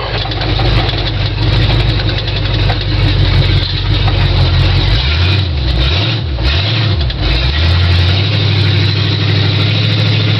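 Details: 1974 Ford F100 truck with 351W V8 and C4 automatic, work-in-progress build, on a test drive: deep, even V8 burble holding a steady rhythm with no knocks or misses; normal healthy running.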